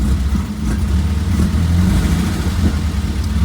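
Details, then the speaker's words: 1967 VW Type 3 Squareback flat-four, warmed up: low even burble holding steady idle around 750-800 rpm without throttle, no hunting or misfire; normal warm idle. "so the engine's already pretty warmed up and it's idling just around 750 800 give or take so there still needs a little bit more adjustment but at least it's uh it's holding"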